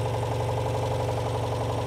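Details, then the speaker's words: 1985 Citroen 2CV6 Special, two-cylinder, barn find, just revived after oil added to the cylinders and ignition set: steady even putter with no knocks or misses, a little smoke from that oil; sweet healthy idle. "you go bit of smoke that'll be the oil that we put down it that sounds really nice yeah it does sound sweet doesn't it"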